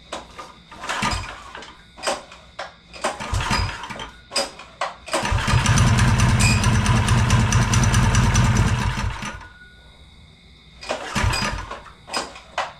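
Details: Mini bike with swapped-in Honda engine after original crankshaft snapped, chain and belt cover off: a few rope pulls, then it fires and runs smooth and even for about four seconds before shutting off and being pulled again.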